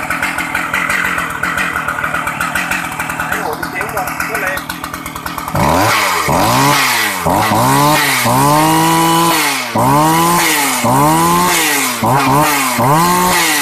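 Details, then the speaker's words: Shindaiwa 757 two-stroke chainsaw, used, starts easily, oil pump working, fuel-saving setup; crisp idle then repeated clean rev-ups climbing and dropping quickly, high revs and strong; normal running. "Máy thì nhạy nổ êm, bơm nhớt ok luôn mọi người nhé. Nó xài chế One Pro nên là rất là tiết kiệm xăng. Tua máy cao, máy mạnh, bốc. Máy êm mọi người nhé."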